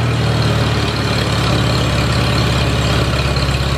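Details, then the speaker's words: Farmall Super A tractor, first run after ground and wire repairs restored spark: deep even chugging with steady firing, no skips or rattles; clean normal idle. "I'm just tickled to death this thing's running you don't know how bad it was for me to shut that thing off I couldn't wait to start running"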